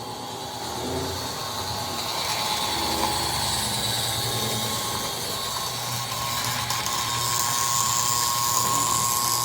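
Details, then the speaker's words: 1957 American Flyer GP7 Texas and Pacific toy locomotive (Sunshine Special set) running on track, transformer near 30; high, rough whine with buzzing rattle rising and falling with speed; motor runs freely but noisily, owner suspects it needs a rebush. "this is the sound this engine makes for those of you that recall uh this reminds me very much of the rocket all that to say I'm afraid this guy is in need of of a rebush"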